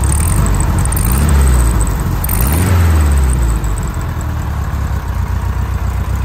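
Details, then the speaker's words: 1973 Volkswagen Standard Beetle after knocking through the exhaust baffles with a sharpened metal rod: deep throaty exhaust blips then settles to a steady even idle, no knocks or misses, deeper tone than factory. "So all I did was just take a piece of metal and sharpen the end of it, beat it through there, and just gotta make sure you don't go all the way through the other side. But that opened it up, gave it a lot deeper tone than the factory, so I think that'll work."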